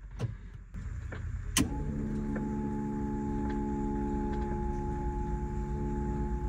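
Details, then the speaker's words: Chevrolet Silverado diesel after replacing injector lines, key on with empty fuel system: click then steady electric hum with thin constant whine, note changing as diesel arrives; electric fuel pump priming. "deu para ver que tá tipo chegando diesel ó pesou tipo assim pesou porque chegou diesel"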